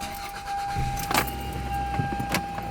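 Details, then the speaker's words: 2001 Toyota Camry 5S-FE, after new spark plugs and new plug wires fixed random misfire; engine starts and settles into even, smooth idle with faint constant whine, no stumble, no misfire even when revved. "that's pretty smooth guys"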